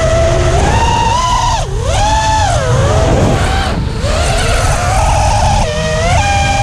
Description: Just put on the new Emax motors and they are getting hot and have a weird noise and vibration.